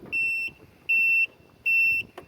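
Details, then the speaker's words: Dixie Chopper Silver Eagle 2750 with Generac engine, key on: continuous high beeps about a third of a second each; oil temp and pressure sensor warning, beeping means a grounded worn sensor or engine overheating; sensor recently replaced. "and that makes it beep when the key turns on and eventually over time it will ground out by itself it's normal and just you'll hear continued beat that's how you'll know you need to replace it"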